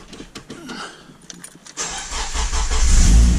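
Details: Honda EG Civic (K swap) with a complete EK fuel tank, after replacing the stock EK fuel pump with a Walbro 255, pressure holding at 50: a few ticks, a short crank, then it fires into a smooth, rising idle; starts fine.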